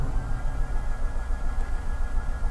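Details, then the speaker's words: 2013 Dodge Dart 1.4 L cranking without starting: steady starter churning with compression beats that never catch. The scan tool shows engine RPM flat-lined; defective crankshaft position sensor. "and it's flat lined so that means we're not getting anything from our crankshaft position sensor that's where i'm going next"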